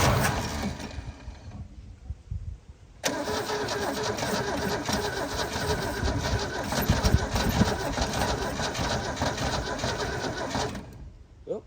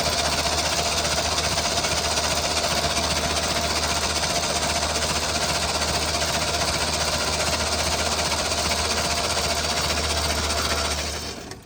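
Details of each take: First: Holden HQ one-tonner off the road 29 years, starter solenoid contacts cleaned, stale fuel still in the system: cranks, dies briefly, then runs lumpy and uneven. Rough first start; owner suspects the carb needs cleaning or replacing. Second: Holden HQ one-tonner off the road 29 years, starter solenoid contacts just cleaned: even, rhythmic cranking at about two and a half beats a second that holds steady, then winds down; turns over freely, owner thinks plugs and ignition needed.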